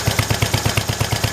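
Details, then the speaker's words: Kohler single-cylinder engine for a 1968 112, after adjustment (it earlier missed when throttled up). An even thump at about nine beats a second with no misses or stumbles: it runs smooth and healthy. "Well, it's running. Ready? This motor honestly runs real good."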